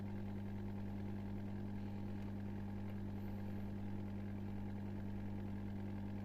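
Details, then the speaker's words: Old Miele dishwasher after repair, drain pump running: steady, even low hum with no rattling, grinding or gurgling; drain pump operating normally. "voilà on entend bien la pompe de vidange une petite mémère qui fonctionne"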